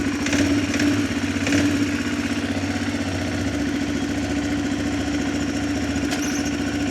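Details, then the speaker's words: 2006 Arctic Cat 400 ATV after fixing intake manifold leaks and richening the fuel mixture screw; low, steady idle with an even, unbroken thump while shifting forward, neutral and reverse, no misses or hunting. Normal idle. "There's neutral. And it also grabs right up too. So, runs good now."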